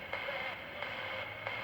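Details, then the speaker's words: Mid-1960s Panasonic R8 micro tabletop transistor radio: steady hiss with crackly bursts when the transistor base is poked, much less at the collector; the stage amplifies injected noise as it should. "The noise injected through the base should get amplified by the transistor, but a noise injected through the collector will have one less stage of gain"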